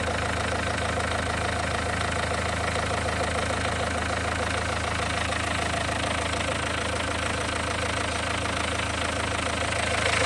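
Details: Renault 1.5 dCi diesel warm idle during leak-off test after injector no. 4 refresh (new Delphi valve and nozzle): even clatter, no misfire or knock; no. 3 returning, 1, 2 and 4 clean, fix for no. 4 worked.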